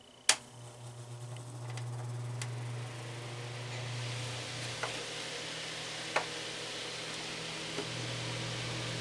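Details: Vornado Traditions heater fan running after servicing: steady, even low hum with a few faint light ticks, no rubbing or rattle. The earlier noise is gone, though the fan still shakes because it is unbalanced.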